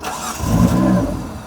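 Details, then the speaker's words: 1995 Mitsubishi FTO barn find not started in 10 years, cranked after the fuel pump primed: a short crank, then it catches with a rising rumble that swells and settles. It starts but won't idle. "It's trying. It's trying. [Music] Come on, baby. Yes. Come on. [Music] She won't idle."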